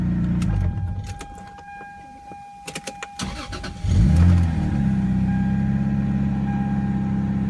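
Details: 1995 Toyota Supra first start after 7 years sitting, following oil change and new battery; cranks a couple seconds, catches with a rev, settles into a steady even healthy idle.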